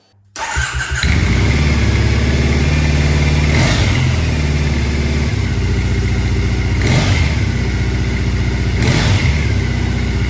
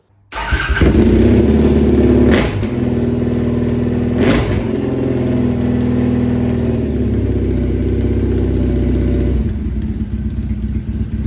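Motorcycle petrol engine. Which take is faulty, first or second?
second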